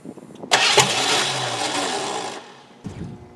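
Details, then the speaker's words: 1988 Ford Crown Victoria sat about 5 years, catalytic converters cut off so exhaust is loud: loud cranking with a brief catch and sputter that fades, then cranking stops; cranks with sputter but won't run. "oh we got a little sputter there that's a little bit more of a sputter"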